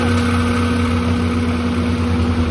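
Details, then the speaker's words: Condenser fan motor after replacing a variable-speed single-phase motor with failed bearings: a smooth, steady, quiet hum with no grinding. It was previously around 90 dB. It draws 3.4 A against a 4.8 A rating. "okay guys we are back up and running hear how quiet remember it was up around 90. nice and quiet now"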